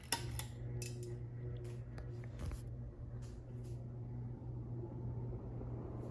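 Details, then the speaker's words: 1937 Emerson 86641 two-speed antique ceiling fan, 8.5 µF capacitor for low speed, switched up to high: quiet steady low hum under scattered handling clicks, smooth, no rubbing or wobble; normal high-speed running. "Very smooth, quiet, and powerful. And it is reversible."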